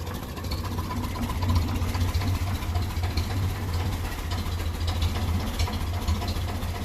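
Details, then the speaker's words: 1957 Ferguson 35 TVO tractor, running on petrol before warm-up: low thumping idle with an uneven beat, occasional dropped pulses and spitting. Slight misfire that owner suspects is a weak spark, with a new coil awaited. "you can hear a bit of a missing a duck Island's Earth and straight away so it's taken away from the from the spark you can hear it spitting there"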